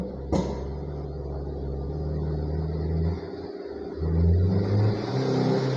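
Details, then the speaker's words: Hyundai car brought in as a no-start after a rat chewed the wiring; after wire repair, scanner shows misfire counts rising on almost all cylinders, check engine light history. Uneven stumbling engine note with dips and surges when revved: misfire. "तो almost सारा cylinder में मेरा यह missing अभी show कर रहा है"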